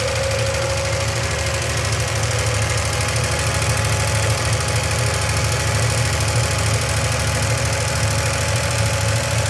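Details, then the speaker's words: 1971 Triumph TR6 six, after 20 years stored, idling on choke. A light, fast ticking like a sewing machine comes from the top end. An oil hole on the rocker shaft is likely misaligned; it has probably been that way a long time. "Sounded it though when we were running it. It definitely sounded like a Singer sewing machine, didn't it?"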